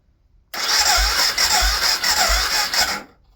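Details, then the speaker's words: BMW F650GS Dakar single, first start after restoration with an old battery: starter turns it over sluggishly, about two labouring pulses a second, never catching; weak battery causing slow cranking, ignition switch also suspected. "Oh, the battery sounds bad already, doesn't it? Something not quite right here."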